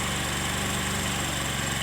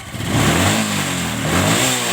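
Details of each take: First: Motorcycle carburetor idle air screw turned fully in, giving an uneven, lumpy, faltering idle that sags as if about to die; backing the screw out fixes it. Rough idle from closed air screw. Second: Motorcycle carburetor after the air screw was backed out and set for a proper idle: three quick throttle blips climb smoothly and drop straight back to a steady idle with no stumble; clean throttle response.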